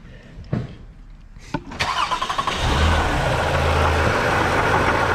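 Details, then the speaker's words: 2017 Toyota Highlander 3.5 L engine at start-up: a few cranks, then rough idle rumble with faint steady whir; water pump visibly wobbling side to side, failing water pump bearing, pump needs replacing along with thermostat assembly. "Hear that noise. If you un look, the water pump fully is uh wobbling side to side. So, it definitely needs a water pump."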